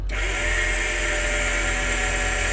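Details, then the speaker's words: Wheelchair lift on 1999 Ford E450 chassis with 7.3 Powerstroke diesel, 131K miles, raising: steady electric-hydraulic motor hum at constant pitch, heard from underneath, likely PTO on the transmission; lift works normally. "Did you hear the motor? You hear the motor kind of down there? So that's probably that PTO on that tranny, which is really cool."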